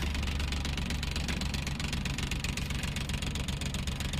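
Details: Maruti Suzuki Omni van after the new battery and charging repair: steady low idle with an even beat around four a second and no misses; engine running smoothly, charging about 14 V as original spec.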